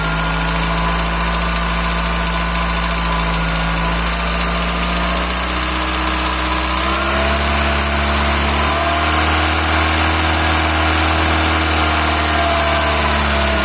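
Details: Cold Peugeot/Citroën TU5JP4 engine at idle: light repetitive knock about four per second over the engine, steady as revs shift slightly; appears about a minute after start and disappears once warm; cold-engine knock.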